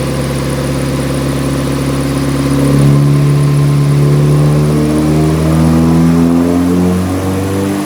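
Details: Nissan 180SX Type X, SR engine, TD06 20G turbo, full-load dyno pull at 15 psi with injectors maxed near 255 rwkw: smooth, strong pull, pitch climbing steadily through the revs, no misses or rattles. Healthy engine.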